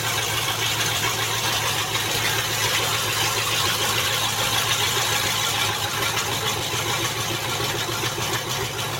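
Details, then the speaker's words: Land Rover Discovery after transmission reinstall: loud raspy hiss and chuff over a fast uneven idle; exhaust leaking badly where catalytic converters were cut off and the section was patched with flex pipe. "I guess fit this exhaust back on there I don't know I don't do it exhaust work and I guess I'm gonna put something together on this because it is terrible"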